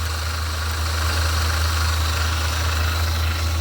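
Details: Engine at idle: fast, light chatter of two or three taps a second over deep steady hum, near the belt pulleys; alternator ruled out, tensioner pulley being checked next.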